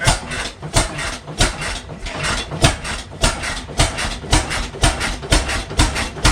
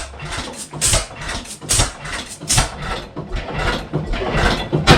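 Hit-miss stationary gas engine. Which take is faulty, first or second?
first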